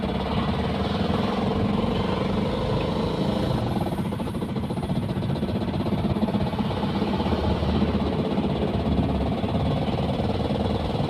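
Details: Engine ruined by a failed glow plug: loud, rough, rapid heavy clatter that began while driving; the engine then stopped, would not turn over, and was towed in.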